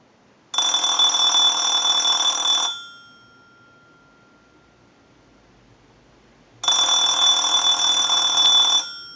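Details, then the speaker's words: Clear Trimline telephone after repair and bell adjustment, held up during an analyzer ring cycle: two bursts of rapid bright ringing about two seconds each with a pause; clean, strong ring. "so we're just going to go ahead and hold the telephone up so that you can hear the ring cycle properly we'll let that go a few times"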